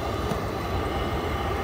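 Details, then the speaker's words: Rheem tankless gas water heater after igniter coil replacement to fix error code 11, hot tap open: steady even burner and fan roar with no clicking or sputtering; blue flame sustained, warm exhaust, normal operation. "if you look closer here you see the uh the flame running so [Music] that gives me a success indication that the flame is sustained and it's turning on"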